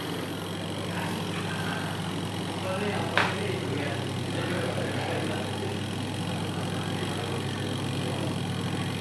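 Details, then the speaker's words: Aqua Japan washing machine after repair of a weak spin-dryer motor that would not turn: steady low hum with even, normal vibration and no scraping or knocking; spin dryer running normally. "Nah, dia punya suara sudah terdengar getaran normal. Berarti dia sudah mengeringkan dengan normal, brother."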